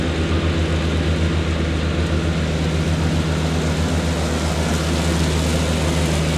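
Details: Cushman front-deck diesel mower, bought as scrap with a supposedly bad hydraulic pump, tires freshly aired up, mowing grass: steady low diesel drone holding even under mowing load, no surging, knocking or rattles; normal running under load.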